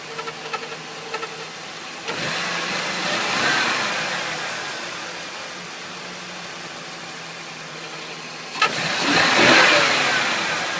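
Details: 2000 Ford Taurus 3.0 Vulcan V6 (VIN U), hot idle with faint ticking and a hissy scraping sound swelling in twice; occurs only when hot and only at idle, not driving; cam synchronizer just replaced to rule it out; owner suspects transmission, not confirmed.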